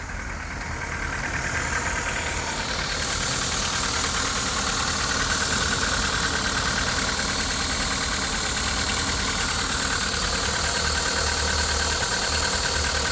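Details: 2001 Seat Leon 1.6 16V 105 hp (AUS) petrol engine idling unevenly, with a stumbling, lumpy beat: a misfire at idle.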